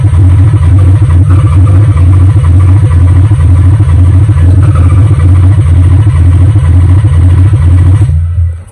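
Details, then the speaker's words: Nissan 300ZX Z32 that sat for years cranks but won't start, on a jumper in neutral after a fuel pump replacement and oiling the cylinders. It churns at an even two beats a second without firing; it later still wouldn't start with brake cleaner sprayed into the intake, and spark was then checked. "cranked fine but then uh we still weren't getting anything it kind of sounded like i wanted to start but it still wouldn't start"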